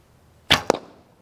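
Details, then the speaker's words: Recurve bow with a new homemade endless-loop string: loud bright twang on release then the arrow's thud into the target, excessive noise from limb vibration after the shot, later quieted with a DIY Velcro fix instead of string silencers. "the noise is coming from in this area here where the vibration in the limb after the shot."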